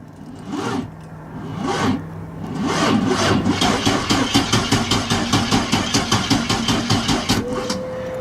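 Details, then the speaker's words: LS-swapped 1988 Nissan 300ZX (5.3L Vortec, Turbo 350), cold, with a cold battery, sat for a while: starter drags slowly and unevenly, then chugs steadily at about four beats a second, never fires; cranking without starting, cause unconfirmed. "Yeah, she might not start for the video. It's pretty cold. It's been sitting for a while."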